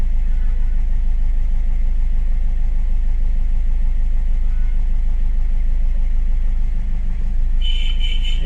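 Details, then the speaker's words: 2015 Ford EcoSport diesel (stated as 1.4 and as 1.5 L turbo) with the malfunction light on: a loping idle about three beats a second, one cylinder dropping out; injector 3 circuit-open fault persists after clearing codes, so the misfire is diesel injector 3. "Clear కొట్టిన తర్వాత injector 3 injector circuit open problem ఉంది."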